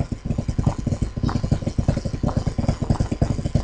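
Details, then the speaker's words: Dayton-style 1/16 hp 5000 rpm motor, over 40 years old, run slow on speed dial setting 2 through a Lutron controller: low, rough throbbing rumble about eight beats per second from worn-out motor bushings. "i mean i can hear the bad bushings that are you know bad because they're more than 40 years old"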